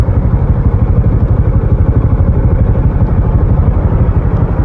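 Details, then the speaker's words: Honda Supra X125 carburetor, 2011, after 15 years of use, original stock stainless exhaust: steady, even low single-cylinder putter at idle, about three pulses a second, no knocks or rattles; normal smooth idle. "Nah, untuk keistimewaan berikutnya, Supra X125 punya Pade ini, biarpun sudah 15 tahun, suaranya masih halus dan mulus ya. Nah, masih seperti ini suaranya."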